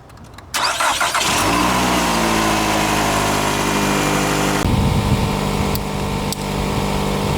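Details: Daughter's car, won't start after sitting weeks in the sun with a corroded battery terminal, jump-started with a power bank: brief cranking, then catches cleanly and settles into a steady, even idle; normal start.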